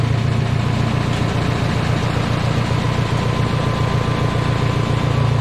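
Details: 1969 Minneapolis Moline U302 tractor engine, which was stuck and took 8 months to rebuild, first fired after points work: a steady, even low rumble with no knocks or misses. Normal idle.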